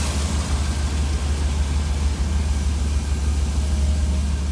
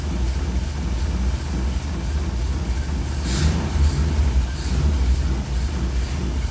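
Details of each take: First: 1966 Cadillac V8 with Holley Sniper fuel-injected throttle body, IAC unplugged so the ECU isn't controlling it: even, low rumbling rock-solid idle with no rise and fall, unlike the hunting idle with IAC connected. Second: 1966 Cadillac V8 with a Holley Sniper throttle body: plugging the IAC back in makes the ECU jolt it to 90–100% with TPS at zero and no accessories on. The idle swells briefly in speed and loudness, then settles.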